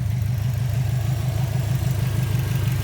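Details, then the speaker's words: 2004 Subaru WRX with an SPT intake and a block-off plate on the OEM blow-off valve, warming up after the battery was disconnected; no check engine lights. Low, steady idle burble, about three pulses a second, no ticks: normal warm idle. "But no check engine lights, and it's idling just fine. So yeah, she's warming up now. And sounds good. Good, nothing's going on."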